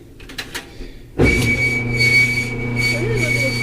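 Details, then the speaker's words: Electrolux/Frigidaire stackable dryer GLET1031CAS0: after a quiet start it gives a loud, steady high squeal from a dry, worn rear drum bearing cup that overheated and lost its grease; replaced using a maintenance kit. "you can see that inside that cup it's really dirty worn down looks like it got very hot and they grease just kind of wore away and that I believe is the cause of all the squealing that you heard at the beginning of the video"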